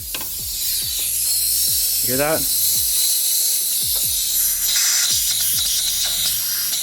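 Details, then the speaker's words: Mitsubishi Evo 8 during a boost leak test before dyno tuning on E85: system pressurised, steady sharp hiss with faint ticking, likely from the lower intercooler pipe clamp; BOV leak and torn intake manifold cap already fixed; clamp to be tightened. "now we have one last leak it sounds like on the lower intercooler pipes if you charge the system put some pressure in there"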